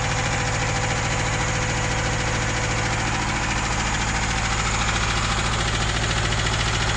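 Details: UZAM 2.0 engine with twin Solex carburetors and 78 camshaft, first start without tuning: loud uneven idle with a lumpy, loping beat near three pulses a second; rough running from mismatched carburetor jets.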